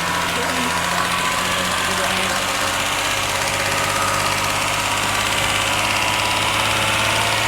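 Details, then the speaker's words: BMW 330i after reseating coil number five: engine revved slowly toward about 2,500 rpm with a smooth, even note and no stutter; misfire gone, normal revving. "that's the 2 and 1/2k there that's not misfiring now that is it I think it was number five like the the plug wasn't on properly"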